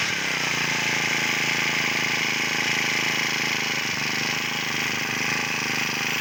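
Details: Honda GX35 four-stroke brush cutter after repair with genuine parts, following a complaint of dying during use: buzzes at a steady high speed with an even, unbroken note and no knocks or misses; it runs smoothly.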